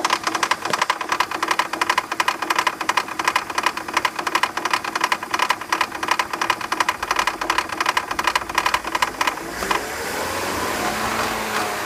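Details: BMW 323ci at idle: hard, metallic clatter repeating steadily, changing as the engine revs; caused by loose bolts on the power steering pump pulley, fixed by tightening them.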